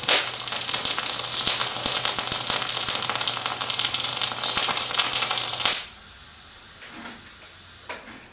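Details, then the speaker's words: MIG spray transfer attempt on 75/25 gas, voltage turned up to about 32 V with a longer arc: a loud steady hiss with irregular spatter crackle for about six seconds, wire feed and voltage mismatched. "Lane all right so if you could hear that that was a lot quieter uh than than we previously stopped lished there's a little bit more spatter involved"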